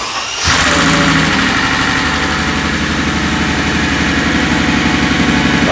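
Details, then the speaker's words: Mercedes CL65 AMG twin-turbo V12, first start after 50-hour engine job, cranked three times to prime oiling before fuel fuse: catches cleanly, earlier ticking gone, smooth even idle; normal idle. "thank god okay that ticking noise went away the ticking noise went away okay i was a little nervous"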